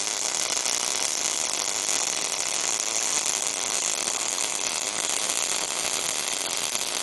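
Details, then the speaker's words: MIG welder with voltage and wire speed set correctly: constant, even frying buzz with no popping or sputter breaks; normal arc sound. "Dial it until you hear the steady buzz. That's the zone."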